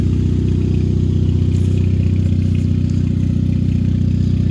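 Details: Race car in a cold Montana trailer at about 20–25 degrees, running after a wire was wiggled and held to get it started; deep, steady low burble at idle, about four pulses a second, no misfire or tapping. Normal idle.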